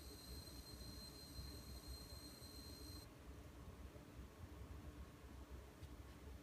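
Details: Gigabyte GTX 980 Ti G1 graphics card: faint steady high-pitched electrical whine over quiet hiss for about three seconds, then stops; coil whine.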